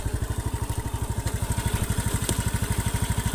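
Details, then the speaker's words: Honda Beat FI scooter (K44/K81) that is weak on hills and runs rough when hot, at idle and under throttle: a sharp, evenly spaced knock about three times a second. This is not valve clearance; a scored piston back is suspected. "ada suara kasar seperti ini ngiklik seperti ini ini umumnya atau biasanya itu pada bagian piston atau pada bagian punggung pistonnya itu yang pertama luka"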